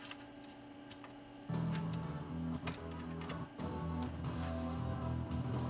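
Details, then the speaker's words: Tascam DA-302 dual DAT deck, deck two playing back: audio keeps cutting out and jumping back in every second or so; dropouts from tape path misalignment, scope shows entrance side way off. "you can hear the sounds cutting in out on this one this one does have an alignment problem as you can hear"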